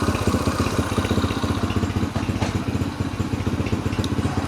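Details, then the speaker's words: Yamaha TTR 125 single-cylinder after carb cleaning with a new spark plug and air filter, choke off, fuel about a year old: fairly even idle of about 230 beats a minute, no misses or knocking, running smoothly. "So, that's that. New carb. Well, I should say new clean carb. Sounds good."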